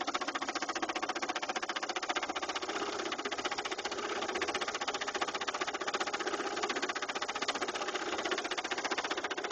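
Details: 2000 Saturn LS2 at idle: a steady, rapid knock about three per second, locked to engine speed; the noise appeared suddenly one day and the owner fears the engine is a lost cause.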